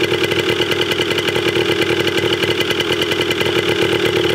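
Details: 1980 Yamaha DT/GT 125 Enduro two-stroke warming up after its first start with an uncharged battery. Fast, even crackling pops with a steady buzzy rasp hold a constant idle. It sounds healthy.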